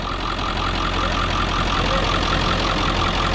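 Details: Ford F-550 4x4 with 7.3 diesel and 6-speed manual, idling in neutral at first start: steady, even diesel clatter with a smooth low drone and no odd knocks. Healthy idle; the oil cap blowby check afterwards showed only slight steam and no rattling.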